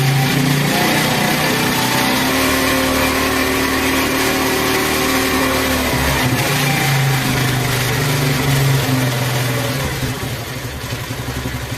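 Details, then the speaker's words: Honda 70 small single, after the petrol mixture screw is tightened fully and then backed out to where the engine sounds loudest: it revs up and settles back smoothly with an even beat and no misfire; the mixture is set right. "तो ये देखिए friends अब इसको छेड़ने से हमारी bike प असर पा रहा है"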